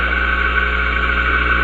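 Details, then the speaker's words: Compressor electric motor reversed by swapping the start-winding wires, bearing tightness adjusted: slow to get going because of the weak coil, then speeds up to a steady, even hum with a constant high tone and no labouring; normal running. "Now you hear it starting to speed up. There we have it. See how that works now running. So what I thought to be a problem isn't a problem."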